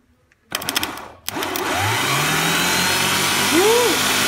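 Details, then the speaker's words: Bobcat 753 starter motor with a slow-crank or no-crank complaint, after cleaning and repair, tested on the bench; sharp clicks, then a fast, even whir that spins up and holds steady, now working normally. "so starter was bad see now it's working"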